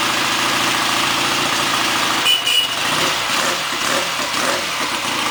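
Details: 1959 AJS/Matchless G12/G15/45 twin in Rickman Metisse frame, freshly rebuilt, started with choke set: catches after cranking and settles into a steady even idle under a loud hiss; running normally.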